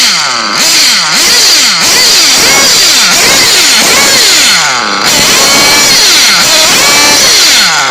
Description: Rb reds sounds healthy